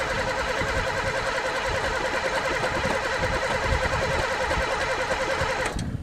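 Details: Pontiac car unstarted for three years, throttle sticky, gas dumped in the carb: starter churns the engine at a steady rhythm for several seconds, never fires; cranks but won't start, owner suspects no spark or broken fuel lines.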